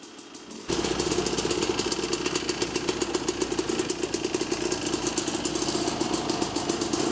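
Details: Yamaha YZ250 two-stroke converted from MX to enduro, after clutch cable adjustment that stopped it dying when put in gear: after a quiet start it fires into a crisp rapid ring-ding idle, steady, no misfires or stalling.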